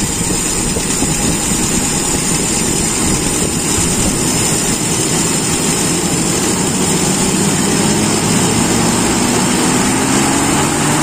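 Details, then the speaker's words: Toyota Kijang, Aisan carburettor first adjusted after rebuild, accelerator pump not fitted: engine note climbs smoothly and evenly from low to high revs, no stumble or flat spot; normal acceleration. "tidak ada grenjel-grenjel mulai dari bawah sampai atas menurut saya halus"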